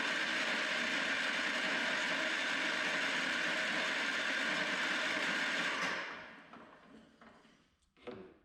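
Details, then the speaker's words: Engine after a points swap, fuel pump disconnected but carb bowl assumed full: fast, even cranking at about three and a half beats a second with no firing; points working but no start. "No fire, but I can see the points are working."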